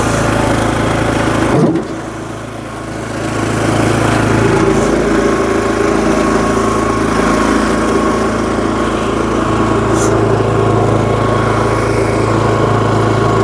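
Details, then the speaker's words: SuperSplit kinetic wood splitter, 16 years old, on sideways slope: sharp clack as ram engages, engine bogs and recovers; rack skipped because handle wasn't raised firmly. "did you hear that stutter"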